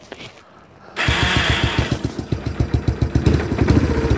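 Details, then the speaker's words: 1986 Kawasaki Bayou 300 single cylinder running a GM HEI ignition module as CDI: starts after a quiet moment and pops unevenly, three or four beats a second; no advance at start, so idle was set too low and carburetor idle needs raising. "so you can hear it starts and runs but you had to advance your timing to accelerate so what you do is turn turn your idle up on your carburetor just a little bit"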